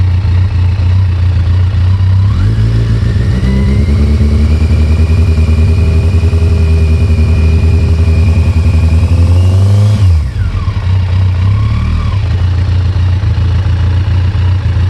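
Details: Kawasaki ZX14 revving and settling: dull uneven knock under the running; owner suspects a spun bearing on the number 3 piston, possibly the cam chain tensioner, not confirmed.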